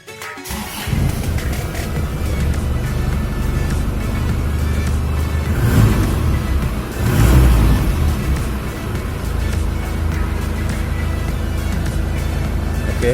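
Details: 2004 Isuzu Panther direct-injection diesel without glow plugs, cold, after battery replacement for hard cold starting: cranks briefly, catches within a second, settles into an even idle with a couple of clean blips; normal cold start.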